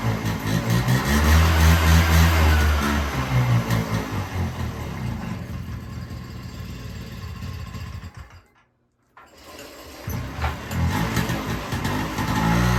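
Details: 1978 Honda Hobbit two-stroke moped, 240 original miles, shed-stored, carburetor was plugged (owner suspects the float): it catches, then sputters and hunts unevenly, nearly stalling before picking up. Rough running.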